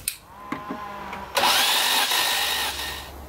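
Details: Maserati 3200 GT under renovation, cranked on the starter with the spark plugs out and a battery booster connected, around 7.5 bar being read. A few clicks, then a steady free-spinning whir with no compression beats; normal cranking.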